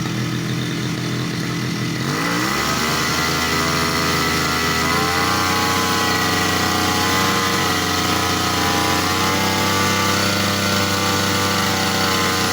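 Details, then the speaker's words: Small two-stroke lawn mower engine serviced for dying right after starting when warm, in a five-minute continuous run test: it rises from a rev into a steady high buzz that holds without sagging or dying. Running normally. "Di sini kita tes hidupkan mesin selama lebih dari 5 menit tanpa berhenti. Baik, kita hidupkan mesin. Kita tahan mesin selama 5 menit."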